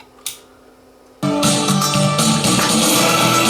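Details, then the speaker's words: Class D amplifier, defective out of the box, playing music through speakers that sound fine on another amp: harsh, raspy output crackling on every note like a blown speaker; distortion from the amplifier itself. "I mean it sounds like a blown speaker but my speakers are fine I just had that hooked up to the other amplifier it didn't sound like that"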